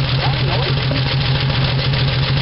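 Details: 1975 Dodge D100 Slant 6, open exhaust, after moving distributor one tooth: lumpy idle with quick uneven puffing and occasional pops; owner suspects a burned valve or exhaust leak. Rough idle with popping.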